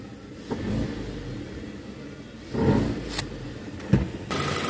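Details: 2.0 FSI engine: short dull rattling bursts as it picks up on the throttle, caused by a loose air box lid screw mount; fixed by tapping and tightening the screw so the lid clamps firmly.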